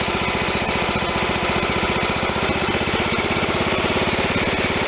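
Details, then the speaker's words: John Deere LT160 lawn tractor with a Kohler Command 16hp single-cylinder engine; after raising the too-low idle by turning the carburetor idle screw clockwise, it idles with a steady, even putter and sounds normal. "clockwise is higher idle that sounds normal"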